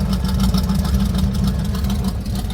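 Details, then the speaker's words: Carbureted engine just after cold start, choke previously misadjusted fully shut, now corrected; steady, even low rumble with no knocks, misses or ticks, settling smoothly as it warms; healthy idle. "It's beautiful. Well, we'll sit here for just a second, let this thing warm up, and then we'll get it moved on into the garage."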